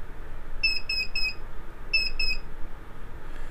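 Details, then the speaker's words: MET Explorer 900 Tandem electric scooter, magnetic brake released, in diagnostic mode: three short high beeps, a pause, then two more, repeating to signal fault code 3-2. "32 32 32 вот этот звуковой сигнал помогает определить неисправность при диагностике"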